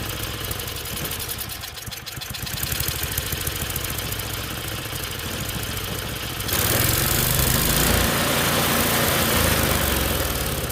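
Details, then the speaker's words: Tecumseh small single on a snowblower after carb cleaning and governor reconnected, near full choke; speed hunting up and down, then rising harder after six seconds; surging, owner plans a new carburetor. "I'm end up ordering a new carb for it it just doesn't run very good doing here it said runs but it's surgeries so definitely gonna get another carb for it"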